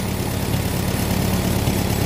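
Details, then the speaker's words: Farmall M tractor idling normally after a short drive, with a single fuel filter to the carburetor; an earlier shutdown was blamed on faulty wiring: steady low, even idle with no misses or knocks, purring smoothly. "Filter, guaranteed clean fuel in that carb, no doubt about it. And boy, it's just purring like a kitten."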